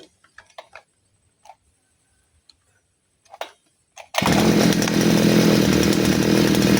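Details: Side-mounted brush cutter after the carburettor mixture screw, under the carb, is turned back one turn: after handling clicks the engine catches and holds a steady, even high buzz with no surging or stumbling; carburettor set right.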